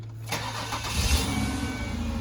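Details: Ford Escape that previously cranked but would not start, now starting normally; short crank, catches cleanly and settles to steady idle. Earlier fault not reproduced.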